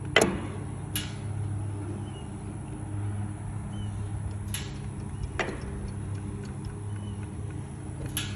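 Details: Aermotor windmill pump: a sharp metallic clunk every one to few seconds over a low steady hum, a clunking from the windmill's pumping gear.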